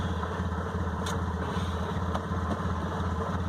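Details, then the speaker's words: 1998 Honda Accord: low, lumpy idle pulsing unevenly and hesitating on throttle, running fine held at about 2,000 rpm; cause unknown, owner suspects fuel-air mixture or a sensor in the throttle body. "that it runs with a rough idle i'm not i'm not completely certain on what that might be"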